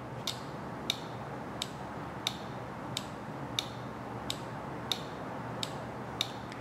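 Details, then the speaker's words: Automotive relay bench-wired and switched by touching the low-side wire: crisp, sharp clicks, about ten in seven seconds, from the electromagnet coil closing the circuit, so the relay works normally. "you hear that little clicking that's actually the electromagnet inside completing this circuit here"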